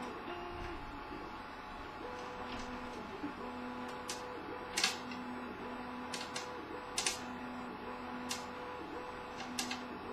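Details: CTC 3D printer during printing: sharp irregular knocks about one a second cutting through stepper motor tones, coming from the top right corner; cause unknown.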